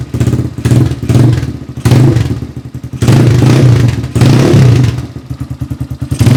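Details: Rebuilt XR200R-based single fitted with a Chinese motor and CRF/XR150 parts: blipped through several rev bursts, crisp pickup and even firing, dropping back cleanly each time; sounds healthy and strong.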